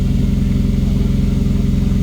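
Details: MK1 VW Rabbit pickup after an engine swap, idling with the aftermarket gauge showing 80 psi oil pressure. Steady, even low exhaust pulsing at fast idle, no knocks or misses; smooth and healthy. Normal engine running.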